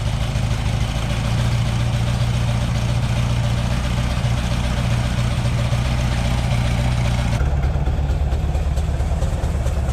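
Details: Green Porsche 914 with a newly installed 2-liter motor: steady low idle rumble with fairly even firing and no knocks or misses. Runs much better; idle or timing may need adjusting.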